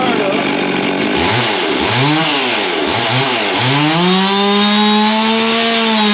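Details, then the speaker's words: Husqvarna 55 Rancher chainsaw during carburettor tune-up, low and high jets adjusted; revs up and sags several times, runs good briefly then starts to bog out before holding a steady scream. Bogging from dirt in the carburettor. "well that's still not performing quite the way we want it to so I've done some more adjusting on it and it seems like it it runs good for a little bit but it starting to bog out"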